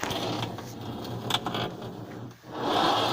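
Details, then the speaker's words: Indesit Ariston washing machine: low motor hum with uneven scraping and rasping as the drum turns, rubber door boot rubbing against the drum, heard while testing a fix with plates screwed into existing holes. "ну и можно до тех пор это делать пока она не перестанет она свистеть и резинка барабан"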